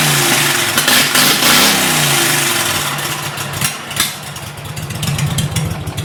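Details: 2006 Mud Buddy HD Mini surface drive, 23 HP Briggs Vanguard, about 14–16 years old, after swapping the stock muffler for a Backwater Performance X-Flow Lite: catches, revs with a loud raspy bark, then settles into a quick, fairly even popping idle, running normally.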